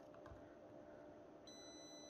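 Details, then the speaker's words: TV with no power, diode checked on multimeter diode mode: steady high beep in both directions where one way should be open with no beep, pointing to a possible shorted diode. "on one way it should be open circuit but no no beep this was beeping um it should should be open circuit with no beep"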